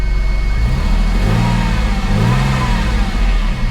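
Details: Porsche 996 911 flat-six after alternator replacement, run briefly with no coolant and low fuel: steady even idle, no knocks or whine, charging just under 14 volts.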